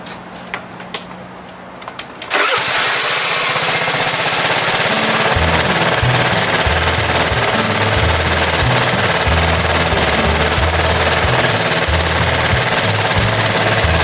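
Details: 2012 Piaggio Typhoon 125cc scooter restarted warm after a run, following carburetor float setting and mixture screw adjustment. It catches at once and settles into a steady, even putter. Healthy hot start.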